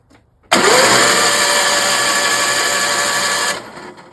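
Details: A Toro 616Z zero turn mower with an Onan P216P vertical shaft opposed twin: the starter whirs steadily for about three seconds but the engine never fires. It cranks but won't start; there is no spark, and the ignition coil outputs zero despite about 8 volts from the magneto.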